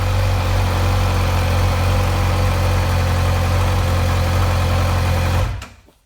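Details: 2008 Suzuki GSX-R600 inline-four at steady idle: light metallic rattle riding on exhaust note, feels more noticeable when letting off throttle; source not pinned down.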